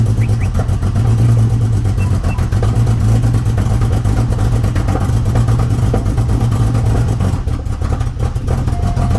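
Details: Porsche 911 991.1 with check engine light, cold start: lumpy, uneven idle with stumbling exhaust pulses, a cold-start misfire; owner suspects fuel from a recent fill-up, not confirmed.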